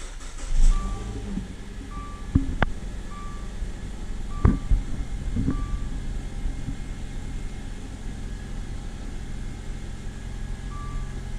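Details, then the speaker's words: 2013 Dodge Dart after replacing the power steering rack that made an awful noise when turning, engine running with exhaust fitted: smooth and steady with no whine or groan, just light clicks; power steering now quiet. "so as you should be able to hear you can't hear a noise there is no noise"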